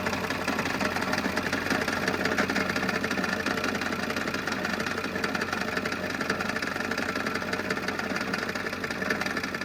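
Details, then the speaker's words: 2000 Ford F350 7.3 diesel idling before repair: a loud, fast metallic rattle-knock that does not let up, from a cracked flexplate. The flexplate, rear main seal and up pipes were replaced, after which the truck ran much quieter. "hope you enjoyed the video on throwing a flex plate on this truck that had that terrible cracked flex plate sound it was obnoxiously loud"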